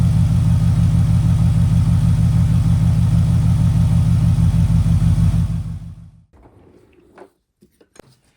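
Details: Porsche petrol engine with a rough idle: a regular stumble, about three beats a second, from a cylinder 3 misfire (P0303), diagnosed by swapping components.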